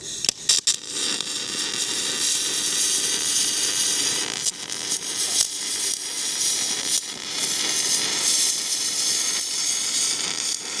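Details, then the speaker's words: MIG welding a farm repair on gouged, cleaned metal: steady even crackle like frying bacon, no pops or spitting, clean stable hot arc. "You should be able to hear that weld just like frying bacon."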